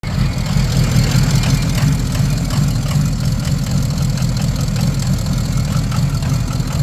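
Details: Ford 6.0 Powerstroke diesel with rough idle and smoke: heavy clatter with uneven, lumpy, wavering rhythm that never settles; cause unclear.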